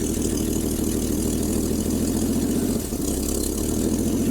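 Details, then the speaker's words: 1965 AMC Rambler American, sat about 30-40 years, idling after revival: steady petrol idle with a fast puffing tick from a small exhaust manifold leak; won't engage gear, likely low transmission fluid. "We do got a little bit of an exhaust leak, which is normal for Ramblers."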